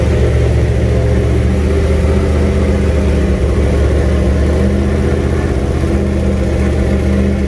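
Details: First fire-up of a junkyard 351W turbo V8 in a 1967 Mustang with new headers and wastegate, exhaust out by the fender; loud deep uneven lumpy beat with rev blips; runs but definitely needs a tune.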